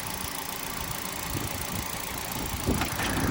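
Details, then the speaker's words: Salvage Hyundai i10 with front impact damage, 58,000 miles, serviced about 4,000 miles ago: a small petrol engine idling at a fairly even, light patter with no heavy knock or grind; normal idle, sounds healthy. "The engine itself does sound healthy. That's the sound of the engine."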